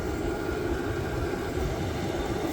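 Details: Vevor 8KW diesel heater set all the way up to level 10 in manual mode, very hot output; steady even roar of fan and burner with no surging, popping or misfire, healthy full-output operation.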